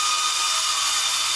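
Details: A/C condenser unit that randomly shuts off and stops cooling while the inside fan blows warm air: a harsh, high steady screech with sharp whistling over a gritty hiss before quitting; cause unknown.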